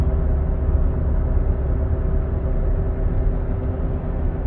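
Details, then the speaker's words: 2016 Buick Enclave with 58,000 km, driving at 80 km/h (50 mph): steady low droning hum under road rumble that gets worse turning left and diminishes turning right; worn front wheel bearing, the hub corroded into the aluminum knuckle. "so at 80 kilometers 50 miles an hour you hear a hum let's see if it's load sensitive so when you turn to the left the noise gets predominantly worse"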